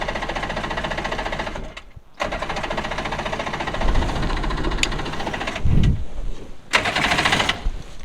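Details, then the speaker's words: Two-stroke premix jon boat outboard, sat three years, carbs rebuilt, cold day, choked: starter turns the engine in steady rapid bursts but it never fires; owner suspects it is flooded. "now it's not wanting to start not cool I hope it's not flooded"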